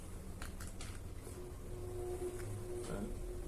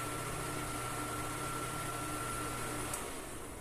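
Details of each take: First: Arno Turbo Silence Force 40cm fan that is noisy and sticks at switch-on: faint irregular ticking, then a steady hum with rubbing as it spins up. Excessive shaft end play; cause may be the shaft or the fan's spacer washer. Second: Arno Turbo Silence Force 40cm fan after repair of shaft end play and a screw set too deep that hit the blade; running strong with a soft even hum and faint steady tone, no rubbing or rattle; noise gone.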